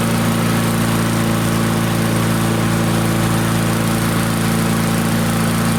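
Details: Barn-find Murray push mower, Briggs & Stratton single, on the bench, air filter off, targeting about 3400 RPM: steady, even drone at constant fast speed with no surging or missing; normal running, and the engine brake worked at shutoff.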